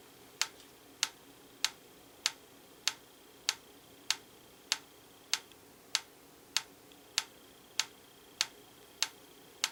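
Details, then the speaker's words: Franz FB-4 electric metronome, apparently from the 1940s–50s, AC line-frequency driven, during calibration after an adjustment turned the wrong way: crisp even ticks about 610 ms apart, about 98 per minute instead of 112; running slow. "we want to go in quite a bit because it looks like we're currently at 98 beats p"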